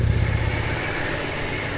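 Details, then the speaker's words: Petrol engine on a salvage-auction car with 104 (thousand) miles, first crank after long storage: uneven low knock the owner calls rod knock, settling to a steadier idle after running a bit; oil pressure building, knock gone. "know how long this thing hasn't been started for oh yeah you could hear it bad we let it run for a little bit and guess what no more odd knock"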